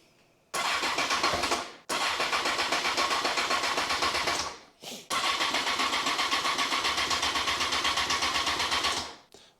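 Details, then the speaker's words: 2002 Honda CBR954 Fireblade, first start after 6-month rebuild with new gearbox, fuel fully drained: steady starter churn in two long tries, never firing; cranks without starting, fuel smell; owner suspects no fuel delivery. "it's cranking over smell fuel"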